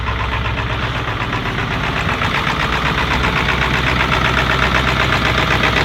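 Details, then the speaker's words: Ford 7.3L Powerstroke diesel, about 20 years old, cold start at about -30 °F after a week, plugged in only 3.5 hours; steady rough clatter at low cold idle with deep muffled exhaust and a noted exhaust leak; normal warm-up with back pressure valve engaged. "and the truck is gonna idle real low in a while it's gonna idle up when it gets warm enough now you're starting to hear the [Music] bass pressure now it's trying to keep on"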